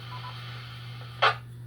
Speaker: you can hear the change in the courtesy tone from the 3 beeps of our normal operations to a severe weather net, which you'll hear 2 beeps, 2 quick beeps.